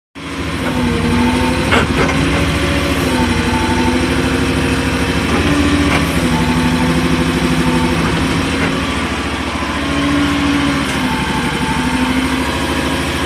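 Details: Grinding scrape each time the upper swings and stops in either direction, over a steady diesel run, on a new AGT MY50R mini excavator with 11 hours; cause not obvious.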